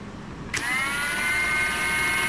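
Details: 2023 Ridgid 18V R86211 Octane impact wrench with an intermittent fault: the motor spins up to a steady high whine with no hammering and stays at slow speed whatever the Auto or speed mode setting. Tested with different batteries; cause unknown.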